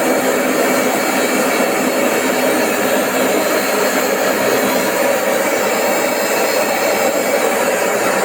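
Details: AEG Öko Lavamat 4100 washing machine spin test at 1000 rpm after 800 and 900: loud, steady jet-engine roar from worn drum bearings.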